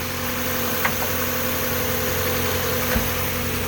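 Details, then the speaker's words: 1996 Mazda Miata 1.8 cold start idling very stable and smooth, steady hum with no rhythmic knock or miss, just a couple of faint isolated clicks (owner mentions occasional lifter tick); normal idle, runs very solid. "it's a cold start but it's huddling very stable nice and smooth"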